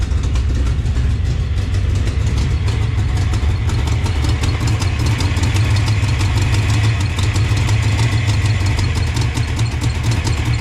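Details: '88 GT V8 with a Trick Flow top end, after timing set and a swapped PCM: deep idle with an uneven, stumbling lope and a recurring dropped beat. Misfire at a cylinder, cause not found.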